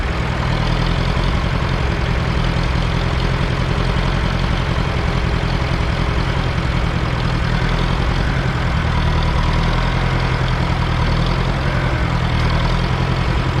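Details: 1968 John Deere 500A diesel tractor (industrial 3020), parked over 10 years: loud uneven clatter, wandering beat, no steady idle, no power, dies on its own; rough running, diesel leaking at injectors, owner suspects brittle rubber boots.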